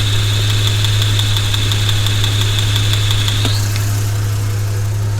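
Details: Vehicle being repaired for a P0300 misfire, with the engine computer commanding injectors one to four in an audible test: light, even ticking about three times a second over a low hum. Injectors clicking normally.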